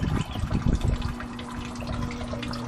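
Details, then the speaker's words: Sump pump running after a stick jammed in the impeller was removed and power reset; steady hum over sloshing water, no grinding, working normally, though likely long stuck on and recommended for replacement. "you can hear it humming away. It's just humming real nice. Everything appears to be working good."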